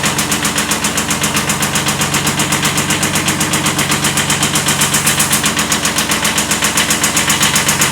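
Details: 1979 Kubota B7100 tractor with a D950 replacement engine (original D750) at steady idle: sharp, evenly spaced knocks about four per second over the diesel clatter, a slight rod knock from a worn connecting rod bearing.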